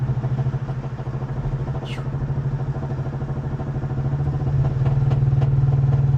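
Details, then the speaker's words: Jeep Wrangler bought at auction, running terribly while being driven home. Rough-running engine with a regular heavy knock about three times a second, louder as revs build under acceleration, like something smacking around inside. Cause not confirmed. "It's just when I whenever I accelerate, it's like something's smacking around in there."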